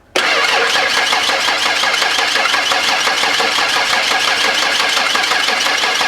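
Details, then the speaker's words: 1992 Ford Explorer first cranking after sitting unused since about 1998-99, battery weak: fast even cranking with steady rhythm and no misses, even compression bumps, engine not catching. "we're looking for a nice a nice even compression bump"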